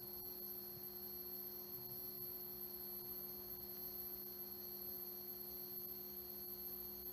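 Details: Vintage 1976 Bulova Accutron 219 tuning-fork watch running normally: a steady, pure hum with a high whine on top, unchanging throughout.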